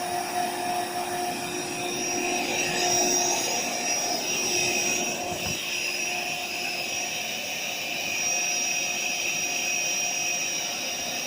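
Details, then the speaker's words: AeroBed Deluxe Raised double air bed, built-in electric pump inflating it, owner told of a pinhole leak somewhere: steady high whir holding an even pitch with no sputter or strain; pump working normally. "So basically the pump works and the deflator works, which is just here. I'm going to turn it on in a minute."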